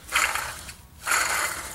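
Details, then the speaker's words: Jeep front axle (D30/D44) torn down for ball joint replacement: hub spun by hand gives two gritty, dry grinding sweeps, rough not smooth; wheel bearing is shot. "apparently they will barring shot that's not good"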